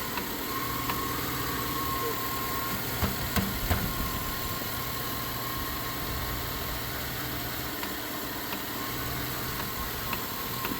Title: chevy idle up and down, with ticking noise, reduce power engine, carb replaced, motor rebuilt.